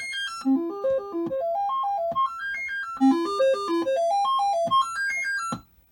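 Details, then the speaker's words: Commodore 64 test machine running the dead test cartridge with the SID chip from a broken machine fitted: clean stepped melody tones, each voice clear, rising and falling without dropouts or buzz; the SID chip works properly. "so the voices that we can check are in fact working this is good"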